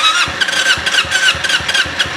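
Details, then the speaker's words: Hot carbureted Kawasaki Ninja two-stroke that dies as if loaded when put in first gear: uneven sputtering bursts as it struggles to fire. Hard starting once stalled; the owner also complains of a valve-slap-like plak plak engine noise. "dia langsung mati seperti terbebani. Kalau sudah mati begini susah."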